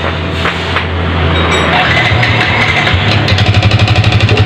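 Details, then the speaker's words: Yamaha Vixion motorcycle engine running rough like a diesel: hard clatter about four knocks a second over idle, sharper as revs rise; mechanic strongly suspects worn piston slapping in bore, to be confirmed on teardown. "ini dia mesin diesel ya [Musik] Mantap suaranya ini kenapa saya nyebut mesin diesel nemplok di rangka Vixion"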